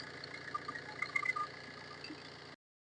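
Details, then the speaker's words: Maruti Suzuki Ritz after replacing the failed one-way clutch alternator pulley that made a grinding bearing noise at start and revving: restarts and idle now steady and quiet, no chirp or rasp from the belt end. "ഇപ്പൊ ആ sound കാര്യങ്ങളൊന്നും നമുക്ക് കേൾക്കുന്നില്ല"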